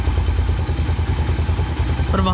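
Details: Single-cylinder motorcycle carburetor idle mixture adjustment: steady idle thump, speed climbing near the end as the mixture screw is opened toward maximum idle rpm; idle mixture misadjusted.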